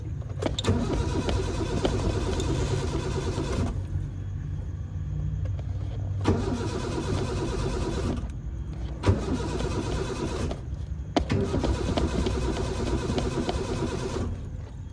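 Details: Car that would not start after sitting for a week: repeated long cranking bursts with an even, rhythmic churn separated by pauses; the engine never catches.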